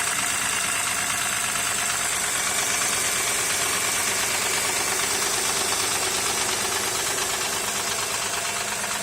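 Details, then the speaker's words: 2008 Honda Accord coupe with a J35Z V6 at idle makes a regular light tapping about twice a second, seemingly from the rear. It is due for timing belt, roller and tensioner replacement. Engine knock at idle, cause unconfirmed. "какой-то непонятный звук. Где-то как будто сзади."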